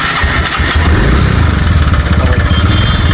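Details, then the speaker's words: TVS Ntorq 125 scooter engine at revs: a harsh metallic clatter like a pot banging. The starter one-way clutch nut inside has come loose, and tightening it is expected to cure the noise. "सिर्फ हम लोग का इसका भीतर जो one way होता है one way का नट खुल गया है वनवे का नट टाइट कर देंगे इसके बाद में हो जाएगा यह साउंड सॉल्व हो जाएगा"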